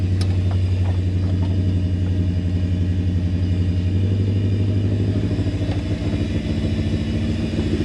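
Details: Toyota 1UZ-FE V8 swapped into a blue Land Cruiser, first start-up after wiring, timing roughly set: lumpy, uneven idle with a stumbling beat instead of a smooth V8 burble; several cylinders not firing because of a wrong firing order.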